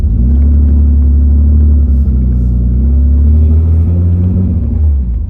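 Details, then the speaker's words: BMW E28 inline-six driving under acceleration: deep exhaust rumble with uneven stumbling beat, shaking the car; misfire from one dead cylinder caused by a bent valve, running on five of six; valve to be replaced. "You can definitely hear the misfire a little bit, but I mean it it's driving good. It's awesome, man. If only I didn't bend the valve, dude."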